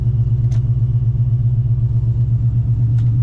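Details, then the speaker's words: 1991 Ford Mustang Foxbody with a Coyote V8 swap, just started before its first test drive, with a new exhaust and swapped computer: deep, even V8 rumble, steady firing, no knocks or misses, much quieter than before with open headers; normal running. "And you can hear it. It's very or much quieter, I should say, than uh what it was before with open headers."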